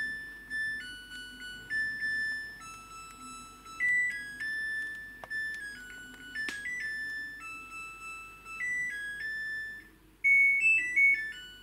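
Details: Samsung WW10N645RBW washing machine, first use after installation: short bright electronic tune of clear beeping notes, then quiet, as the wash-and-spin program finishes and the machine stops by itself; normal end-of-cycle melody.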